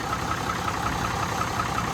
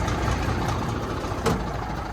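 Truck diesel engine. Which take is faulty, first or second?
second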